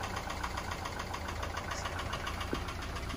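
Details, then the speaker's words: Subaru boxer engine at idle, warm or cold: light, uneven diesel-like clatter about three to four times a second that fades when revved; piston slap, which is considered normal on these engines, not rod knock. Knocking at idle. "basically the Piston slab sounds like a diesel see we still hear it all right and that may scare a lot of people"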